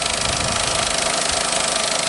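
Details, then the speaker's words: Opel Corsa C phase 1 with chain-driven Ecotec engine, first-hand and low mileage, idling under the open bonnet: steady, even, quiet idle with a light chain-like ticking and no water gurgle; the engine is healthy and silent. "Ça, le moteur est silencieux, on entend qu'il n'y a pas de bruit"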